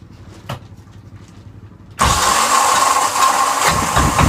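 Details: Yanmar SB12 marine diesel after fuel line repair and mounting the primer bulb vertically: catches after a quiet start and settles into a steady, even clatter with no misses, running normally while purging remaining air.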